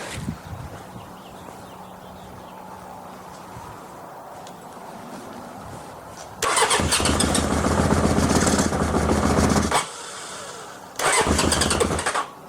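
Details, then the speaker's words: 1981 Honda CB750K parts bike, first start attempt on a test carb: quiet uneven turning, then loud ragged bursts of firing that cut out and restart; rough running with backfires from a carb overflowing and leaking a lot of gas. "well i have backfired from that from that carb oh it's leaking a lot of gas well it starts it definitely does"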